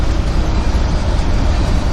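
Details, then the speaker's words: Turbo diesel converted bus driving, recorded by GoPro inside the cab: a deep, steady drone with a rough, puffing roar and turbo whine, getting louder. Exhaust leak from a growing hole in the downpipe between turbo and muffler. "I like the turbo whine. The uh exhaust note is getting a little bit loud for my comfort."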